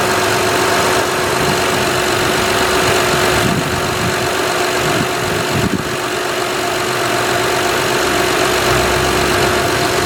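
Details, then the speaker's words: 2006 Honda Odyssey EX-L at idle after replacing a power steering pump that leaked at the shaft, filled with Honda fluid: the new pump gives a constant thin whine, probably still priming and drawing air. "the pump is probably going to complain but let's see what'll happen"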